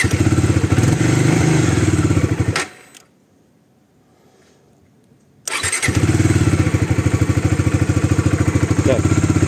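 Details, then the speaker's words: Bajaj Dominar 400 with a failing maintenance-free battery, started on a jump starter: steady fast single-cylinder thump, cuts out, then fires straight back up into a firm even idle, working normally by the third try. "Третьего раза нормально работает."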